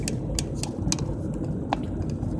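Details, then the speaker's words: Sharp, irregular clicks several times a second over steady road and engine drone while driving a Central Texas ranch road; the loose dash phone holder is rattling, and taping it did not stop the clicking. "trying to stop that clicking noise but I can't figure out how to do it I tried to put some tape on it"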